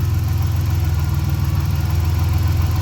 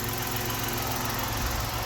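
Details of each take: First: 1990 Dodge Grand Caravan LE under restoration, idling; low idle with slow uneven throb, surging and hunting for idle; owner suspects an EVAP or vacuum leak, not yet confirmed. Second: 1990 Dodge Grand Caravan LE under restoration: soft, even low idle with no rasp or exhaust blat, a steady quiet hum; normal, healthy idle.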